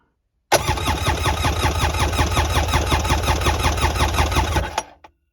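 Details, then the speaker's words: Polaris Ficht direct-injection jet ski, revived after no spark and oil hydrolock, oil added to cylinders, compression test about 181 psi, cylinders almost identical: even cranking beats just under three per second, no gaps; healthy compression. "perfect almost identical this is a healthy healthy ski now"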